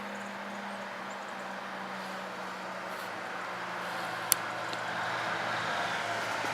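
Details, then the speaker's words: Neighbor's son's army diesel truck after injector pump fix (previously couldn't exceed 30 mph), heard from a distance: drone rising steadily as it pulls past at speed, even with no knocks or misfires; pulling strongly. "You can hear the roar from here. Yeah, hear it? She's getting revs now."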